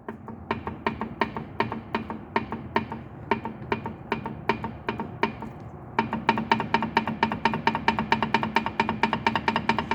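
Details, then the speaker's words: 1965 Ford Falcon small rear end, gear oil apparently never changed, drain-back plugged with sludge: sharp, even clunks about twice a second, then faster, as the gears are rocked by hand, showing excessive ring and pinion backlash; a swap to a Ford 8-inch is considered. "but listen to this backlash I'm going to shut up now so y'all can hear the backlash cuz I don't need to measure it just listen"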